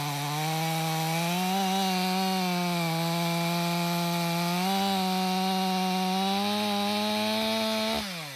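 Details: Stihl MS 500i chainsaw (62 hours, stale fuel after long sitting), warm, after recalibration and fuel purge: strong steady buzz climbs slightly as the chain bites frozen wood, holds revs, then shuts off. Healthy under load; the fuel pump is believed to have been the main problem.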